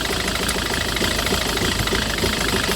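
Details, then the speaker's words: 2008 Citroën Nemo van after a no-start caused by a suspected blocked fuel filter: loud, uneven knocking over a lumpy, unsettled idle, still shaking from residue and excess fluid in the combustion chamber; expected to return to normal once dry. "but it's still shaking because there are some residue on the combustion chamber. That is too much fluid on the combustion chamber."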